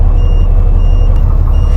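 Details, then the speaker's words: Turkish Kirpi armored vehicle (Cummins engine, Allison automatic) at diesel idle: repeating high beeps are the low brake air pressure alarm, sounding until the system builds the required air pressure before moving. "And you can hear, this alarm beeps, it's so that we don't start moving until the required air pressure appears in the system."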